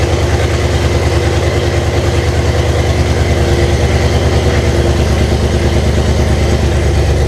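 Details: 1998 Jeep Cherokee with swapped 2005 5.3 LM7 V8 (706 heads, LS1 intake, reprogrammed computer, 4L60E), first start with no transmission fluid: steady low drone with uneven, lumpy idle; runs rough, cause not yet found.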